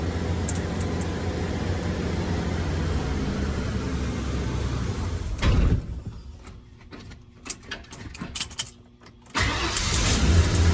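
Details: 1994 Ford F250 after a no-crank no-start repair, with new coil pack, cap, rotor, plug wires and plugs, catches and settles into a steady, even rumble before going quiet; a clean start and smooth running.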